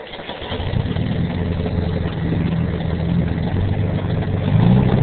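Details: Kubota tractor cold start on a frosty morning: the engine catches and settles into a low, slightly uneven cold idle that smooths out, with a little smoke and no knock or grind. It starts like new.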